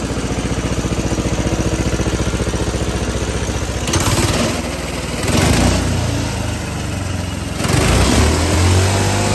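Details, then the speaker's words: Homemade hydrogen combustion engine with water injection replaced by 100% methanol, hydrogen mix, needing more hydrogen than with petrol and an idle adjustment: steady even beat around 220 a minute with clean throttle blips; runs smoothly, better than on petrol-hydrogen. "Okay, so that was the the methanol and the hydrogen mix, and that ran a lot better than it did with the petrol and hydrogen mix."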